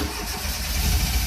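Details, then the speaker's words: Fiat X1/9 Bertone with hot-rodded aftermarket cam gear, pedal floored as owner suspects flooding: steady low churning cranking, no firing; crank no start, later found base ignition timing too retarded, owner also suspects dry-fouled plugs. "Tried to go. I think I got to pull the plugs out. So badly wants to start."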